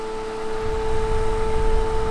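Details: 1990s Super Jet Stream turbo fan on high at roughly full speed after about a minute, motor not yet oiled: steady high whine over low rumble; owner says bearings are definitely dry.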